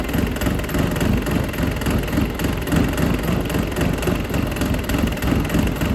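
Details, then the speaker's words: Dodge Caliber SRT4 rescue car, long parked outside, idling up to temperature with radiator cap off: steady, slightly rough knock about four beats a second, getting louder; owner suspects a bottom-end bearing, was hard to turn over; coolant combustion test negative. "I think we got a bearing going on down I there. think so. I think that's why it was so hard to turn over with no pull pad. It's getting louder."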